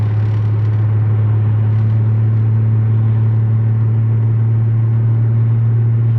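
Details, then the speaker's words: Car on coilovers with solid mounts, previously vibrating (guibo joint suspected by other shops), road test at about 45 mph after repair: steady low drone, on and off throttle only engine and transmission vibration, maybe slight tire vibration, no driveline thump or shudder. "all I can feel is just the engine vibrations the transmission vibrations I don't feel anything that's loading and unloading that drive shaft than making that making that unhappy"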